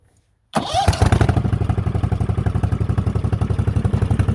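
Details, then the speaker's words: Cub Cadet 2185 after engine swap; starts right up and settles into loud, even open-exhaust thump about four beats a second, running cleanly with no misses; throttle works backwards. "starts right up only other downside is the throttle is backwards"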